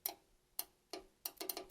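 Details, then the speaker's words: Rebuilt Yanmar 4TNE98 diesel for a Caterpillar 216 skid steer, first test run: crisp clicks, spaced then quicker, as the fuel shutoff solenoid pulls in when powered; it is closed by default and must be energized to run. Normal operation. "yeah I can hear that click on so that needs to be on still no word on what this is for didn't see it in the manual anything"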